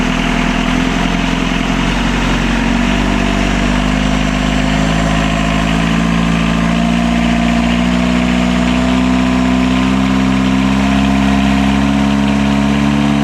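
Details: Catamaran diesel genset re-run on the bench after two accidentally swapped controller wires were corrected (they had driven throttle wide open and shut engine down); steady, even drone with smooth low hum, no knocks or hunting: normal running.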